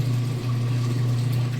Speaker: we're on to draining out for the final spin now it's already going through the full process so you can hear it draining the water out